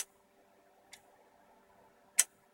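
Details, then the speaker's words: Homebuilt 70 cm UHF 200 W linear amplifier keyed in RTTY into a dummy load through a Bird wattmeter, output well over 100 W: sharp single relay clunks about a second apart over faint steady hum; relays switching normally. "So if I just quickly key the amplifier and I put the radio into RTTY, if it was a continuous carrier, you should immediately see the needle hit end stop, and you'll hear the relays clunk"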